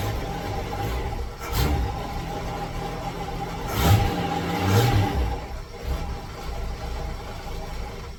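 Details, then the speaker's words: 1966 car "Rita" with carburetor, spitting, sputtering and dying when last driven: runs very rough, stumbling and smoking, seems to miss and revs wander; air-fuel mixture suspected wrong, carburetor to be checked, cause unconfirmed. "that it's running real rough it's smoking as well while it's stumbling so definitely air fuel mixture is wrong stumbling sounds like it's missing a little bit it's all over the place"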